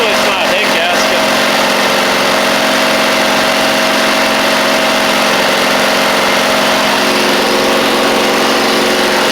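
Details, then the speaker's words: Huskee Supreme 50-inch Briggs V-twin mower at idle, oil level checked OK, smoky, possibly from oil on the muffler: lopsided beat, running on one cylinder. He judges it a carb issue rather than spark, if the plug is good. "this is a little crazy w all right so we're only running on one cylinder so so they got a carb issue we don't have a spark issue"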